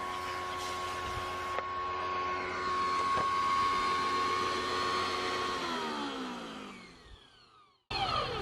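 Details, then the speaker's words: Small engine from a stall-testing session on a mower, left out in rain: whines steadily, then pitch sags and winds down to a stop, intermittent stalling; it had been dead until fiddled with; owner suspects mud or dirt splashed inside. "What it had been doing was it wouldn't do anything and then the way to fix it would be and then it would go."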